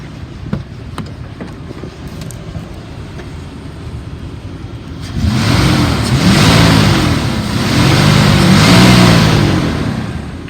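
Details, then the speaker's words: 2002 Dodge Ram 3500 utility truck, 5.9 L gas engine, about 97,500 original miles, warm after running ~45 minutes, slight misfire at idle; even rumble, then two clean rev blips rising and falling smoothly, revs up well. "revs up nice"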